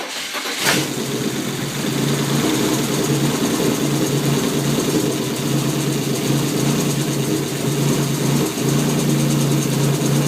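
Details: BMW E36 M3 six-cylinder petrol engine catches and idles unevenly, with a lumpy, stumbling beat from a bad misfire and rough idle.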